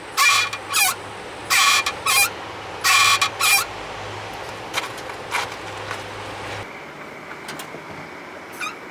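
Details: Mitsubishi Lancer X slowing: sharp high-pitched squeals in short repeated bursts over road rumble, mainly when brakes are hot after a drive, none when cold; braking normal, no steering pull, cause unknown.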